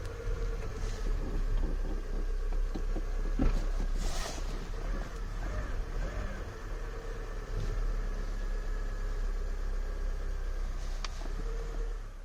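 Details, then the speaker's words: Citroën BX at steady idle: loose, uneven buzzing rattle over the engine note that changes when the foot is removed from under the partly held clutch pedal; owner suspects clutch pedal/cable slack, possibly a worn clutch, not confirmed. "i'm currently holding the clutch pedal a little bit if i remove my feet from under it hear the difference so clearly it's this"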